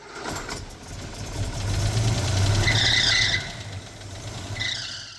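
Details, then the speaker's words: Cheap Rover P4 classic at purchase inspection: engine catches and revs with a high squeal rising and fading with revs, plus possible clicking and a less smooth run. Owner suspects it just needs a fan belt, not confirmed. "It sounded alright. Maybe just needed a belt. Fan belt."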